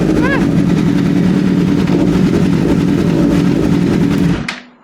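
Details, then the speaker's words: About 20-year-old Suzuki GSX-R1000 project bike after rebuild, started after oil and filter refill and fuel pump prime; fast, crisp, even four-cylinder firing running steadily before shutoff, sounding healthy for its age: normal running. "Sounds healthy enough for a 20-year-old Gixxer."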